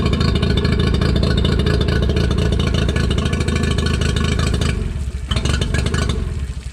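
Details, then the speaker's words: Used outboard with even 90 PSI compression on both cylinders, restarted with good water flow, revved and in forward: fires right up, steady even beat picking up cleanly with throttle, no misses or rattles; normal running. "good fires right back up good water just give us some RPMs and [Music] forward good water still all she running good yeah it fires right up every [Music] time"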